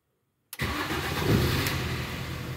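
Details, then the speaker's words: Car started at about 10 °C, being checked for an odd starter noise that appears below about 2–3 °C: brief crank that catches at once and settles into a steady run; normal start, noise not reproduced. "non elle n'a pas fait le bruit elle démarre tout à fait normalement il y a pas de souci"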